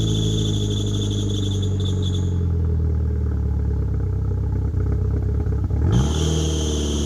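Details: 1997 Mitsubishi Eclipse GSX after sitting almost 5 years, cold start with front exhaust leak (no gasket), revs to 4, 5 and 6 thousand: shrill high belt squeal over lumpy idle that drops out, then returns as revs rise.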